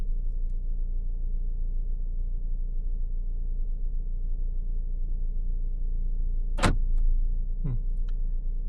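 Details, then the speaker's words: 2017 Fiat, RF module water-damaged by leaking welds: over steady idle, two sharp lock clunks a second apart with no command, trying to unlock while already unlocked; central locking actuating by itself. "it's the sound of it trying to unlock while it's already unlocked"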